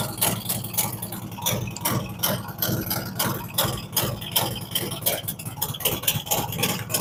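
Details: Fresh-built V-twin motorcycle cold start during a ThunderMax initial idle tune, with a choke-like rich warm-up mixture: loose, lumpy beat of about two and a half pulses a second, slightly uneven while cold as cylinders balance out; normal warm-up idle.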